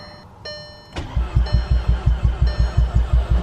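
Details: MK6 Golf R on first start attempts after reassembly and an oil refill: steady starter cranking at about three compression pulses a second with no firing; a low oil pressure warning appeared afterward.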